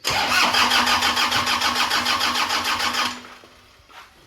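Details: Toyota Kijang Innova diesel: the starter spins the engine evenly at about three compression pulses a second, but it never fires. Crank, no start. Suspected causes include fuel supply, injectors, low diesel pressure, a dirty fuel filter or air in the fuel system; none is confirmed.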